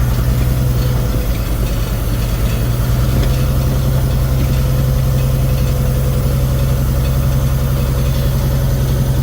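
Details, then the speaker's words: 1999 Freightliner FLD120 heavy diesel idling ice cold just after startup: loose uneven rattle over low drone, missing on a cylinder (number one not firing); owner suspects a leaking injector, to be warmed up on a test drive. "it's going to need an injector this air like on mine remember when that one started leaking you hear it I hear have a rattling"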